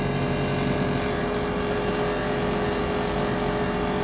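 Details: Ninja Foodi 8-in-1 running cold in this recording (owner says the unbearable noise comes after warming up): steady droning hum with fixed mid-pitched tone over constant rush; loud running noise, cause unclear.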